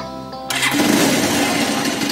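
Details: Pulsar 220F motorcycle with 4700 µF 25 V capacitor (elco) fitted after the fuse to stabilise voltage: starter catches at once and engine fires straight into a steady idle, no voltage drop or hesitation.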